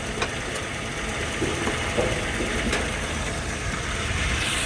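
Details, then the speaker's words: 2003 Toyota Kijang LGX, gasoline EFI engine, idling and heard at the engine bay: steady, even, smooth low rumble with no knocking or missed beats. The engine runs normally with no strange noises. "Pokoknya suaranya tidak ada yang aneh-aneh untuk mesinnya halus. Pokoknya untuk mesinnya siap luar kota, siap buat luar Jawa, siap, Lur."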